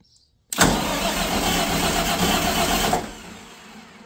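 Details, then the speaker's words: Katolight 110 kVA diesel genset that would not start, start circuit bypassed with a jumper lead: starter grinds, engine catches with a rough roar for about two seconds then stalls; owner suspects it ran out of fuel. Starts briefly then dies. "not going to run it too much longer. I think I just pulled all the fuel that was in it out of it."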